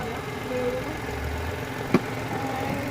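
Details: Mitsubishi Mirage after a no-crank, no-start issue was solved: quiet, steady low idle with an even tone and no knocks or misses. The engine sounds healthy.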